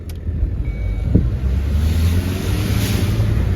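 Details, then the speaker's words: Volvo V40 showing P00BD air flow too high: as the car pulls away, a rushing whoosh builds over the engine note with throttle, boost escaping into the atmosphere, most likely an intake leak. "minute you take off, you can hear a wuss or a wish. And by hearing that wish straight away, I am kind of pointing out and seeing that to myself before I even pull into the workshop that I'm most likely going to have a intake leak somewhere somewhere."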